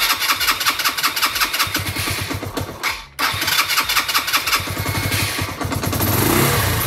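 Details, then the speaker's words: 1998 Suzuki GN 125 single-cylinder, first start after recommissioning with a new battery: it catches on the first try, dips briefly, then settles into an even, steady thump at idle; charging reads 13.2 V; clean, healthy cold start. "Et nous avons un démarrage du premier coup. Si c'est pas beau."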